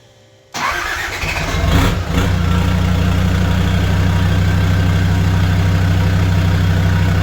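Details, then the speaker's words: Land Rover Defender 130 TD5 diesel, first start after sitting, fuel system purged with the ECU earth refitted: short crank, catches at once and settles into a steady, even idle with no stumble; normal start and idle. "So, initially trying to start it was hard work. Hasn't been running for a little while, but now it starts straight up."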